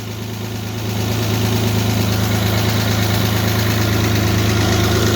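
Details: Alfa Romeo GTV during restoration, first start after 11 years laid up: engine catches and settles into a steady, even idle with a smooth low hum, no ticking or blowing; normal idle.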